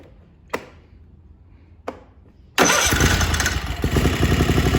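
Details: Kohler Command 20 hp on a Craftsman GT mower, after reassembly following runaway wide-open engine speed (plastic governor suspected, nothing found): couple of pulls, catches and settles into steady even idle with no misses or surging; throttle and idle control work normally.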